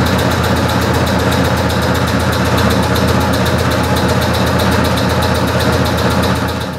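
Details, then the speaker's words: Shop air compressor supplying a new SkyfireCNC SVM1VMC CNC mill, running after air is dropped from the tank: loud steady chug about four beats a second, holding even until it winds down; normal running, fairly loud. "I'll drop some air out of the tank. So, I'm not sure if you can hear that on camera. It's fairly loud."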